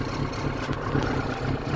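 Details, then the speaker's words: Ford Sierra/Transit 2.0 SOHC Pinto, Weber 30/34 carb, after coolant temperature sensor change: lumpy uneven idle with missed beats and visible engine shaking; rough running only at idle when the computer kicks in, smoothing with throttle; cause unconfirmed. "for me I only get the rough running when I'm on idol cuz that's when the computer kicks in"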